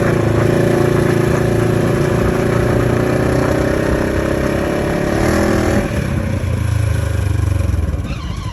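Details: 2015 Polaris RZR XP4 1000: steady mid-pitched whine from the gearbox, transmission or clutch rides over the engine rumble, sagging slightly in pitch as the engine eases off; drivetrain whine, cause suspected, not confirmed.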